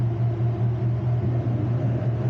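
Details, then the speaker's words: Drift car after wiring harness repair, idling out of gear: steady low drone under the engine noise only with the clutch pedal pressed; worn clutch release bearing. "Something's wrong with the clutch, but it's a different day's worth of adventures. We had to redo the clutch. I mean, that noise isn't normal, obviously. That shouldn't be happening. That's only when you're in, when you press the clutch in."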